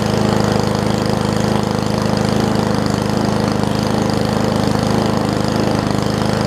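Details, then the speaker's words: Old Murray push mower with a Briggs Classic single-cylinder, oil topped off. It holds a steady, even fast idle with no misses or surging and runs okay, though the throttle appears to be missing its governor spring. "all right so it's uh running okay i guess"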